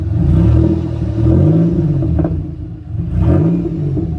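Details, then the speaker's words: 2006 Pontiac Grand Prix just swapped to a supercharged 3800, revving in two uneven, lumpy, stumbling pulls under throttle; hard starting, smells. Owner suspects it needs a tune. Cause unconfirmed. "I'm about to show you again like when I hit on the gas this [ __ ] sound rough as [ __ ]"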